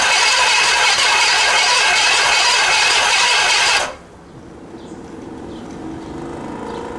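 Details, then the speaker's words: Pontiac Bonneville (Pontiac 455) long-stored, accelerator pump leaking and throttle clip missing, gas added; about four seconds of even brisk cranking, never catches; cranks but no start. "turns over good. Let me make sure I'm getting fire."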